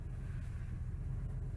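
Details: 2000 Ford F150 5.4L V8 after replacing the #5 (right front) coil pack and clearing fault codes: low, steady rumble with no stumble or skipped beats; idles evenly and healthy.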